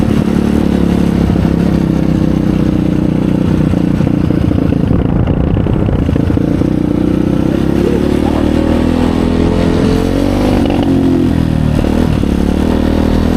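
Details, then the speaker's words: 2020 Chinese Apollo 250cc dirt bike, sat 2 years with gas left in carb, on a ride: revs climb only sluggishly and flatten instead of pulling; won't rev out; owner suspects dirty carburetor, plans to pull the carb and main jet. "So I think that it's not revving up because the carb is probably dirty. Like I said, this thing's set for 2 years and it had gas in the carb when I drained it."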